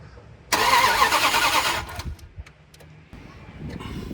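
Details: Dodge Dakota that won't start after a DIY water pump job, no spark found: starter churns about a second and a half and stops without firing; cranks but won't start, coil output being checked.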